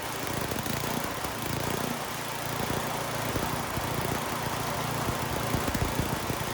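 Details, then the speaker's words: Troy-Bilt (Garden Way) snowblower, Tecumseh 10 hp engine with a new carburetor: engine runs rough and wavers as the high-speed mixture screw is turned, running badly when leaned out and too rich when backed out. Speed changes with mixture adjustment. "And then if you unscrew it, so counterclockwise, you're letting more gas in. So in this next clip, that's what you're going to see me doing, and you should be able to hear the change in the engine."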